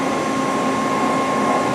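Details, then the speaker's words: CNC machine with two-gear spindle gearbox, cold, not yet warmed up, spindle chiller oils the gears, spindle run at low speed: steady even whir with faint gear hum, no knocks; gearbox slightly loud but acceptable. "I didn't run it didn't warm it up yet so it might be um little loud but I hear you know the gearbox it's okay you know it's not one of the loudest gearbox you can hear it a little bit you know right now"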